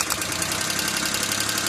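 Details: Petrol engine idling steadily with an even, quick ticking rhythm and no stumble or misfire, after a removed spark plug wire is refitted; with the wire off the engine pinged.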